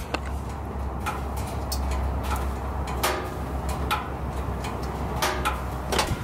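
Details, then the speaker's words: Van with an ignition coil misfire, engine off after running with a dead cylinder: irregular sharp metallic ticks every second or so over a quiet hum from underneath; overheated catalytic converter contracting as it cools. "I can actually hear it down there cooling down, hear all that ticking."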